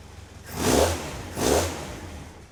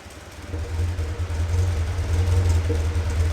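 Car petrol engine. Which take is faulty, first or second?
second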